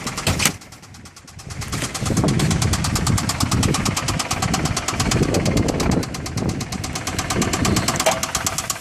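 Steady idle with a fast, fairly even tapping riding over it, about three knocks a second; a knock at idle, cause not yet pinned down.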